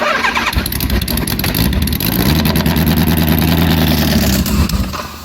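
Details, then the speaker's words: Homemade supercharged, fuel-injected Kawasaki Z1000 on a 20-year-old aftermarket ECU, cold start with the choke compensation map modified: runs unevenly with no throttle, then dies, stalling at idle; owner suspects too rich on cold start. "that just dies not touching anything just runs and dies"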